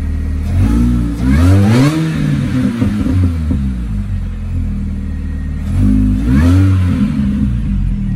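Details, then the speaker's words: Supercharged Mini Cooper S after fixing an air leak, jump-started: two clean blips up and back down, engine pulls and settles smoothly with no hiss or stumble; air leak fixed, runs as it should. "so she's there's no more air leak [Music] sounds absolutely perfect now so i'd probably say that has fixed it but i can't get over the sound of supercharger"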